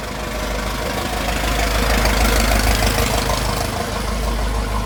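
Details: Restored 1921 American LaFrance fire engine on a ride after its finished restoration: a deep, even engine rumble with a steady beat that swells briefly and settles, running smoothly.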